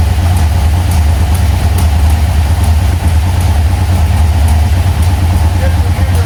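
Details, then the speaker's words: 1980 Chevy C10 Squarebody with 377 stroker, Edelbrock AVS2 carburetor, Cobra intake, MSD ignition, fresh plugs, correct firing order: deep, lumpy, stumbling idle as if not firing on all cylinders; idle mixture suspected, valvetrain noise, possible solid lifters needing adjustment. "it'll run running idle now but it's just sounding like it's not hitting on all cylinders it's just sounding a little bit rough"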